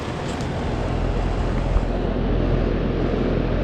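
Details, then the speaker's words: 2013 Trane XB13 air conditioner condenser, about 13 years old, spring startup at 78°F, not yet cleaned: smooth even fan whoosh over a low compressor hum, no rattles or knocks; very quiet and nice sounding, normal running. "Um but it's very quiet and very nice sounding. It does well."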